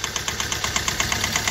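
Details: Hyundai i20 engine knocking at idle: sharp, even ticking about eight times a second (टक टक) over steady idle, with heavy black smoke and low pickup; knock of unknown origin.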